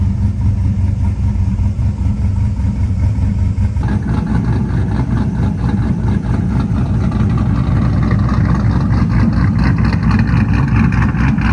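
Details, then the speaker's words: 2000 Silverado, 5.3 Vortec, Brian Tooley Stage 3 cam, 92mm throttle body: even, settled idle just under 1000 rpm with a steady exhaust pulse after new idle air control valve and idle relearn; surging later returned, throttle position sensor next. "That already seems better because the RPMs are right below the 1000."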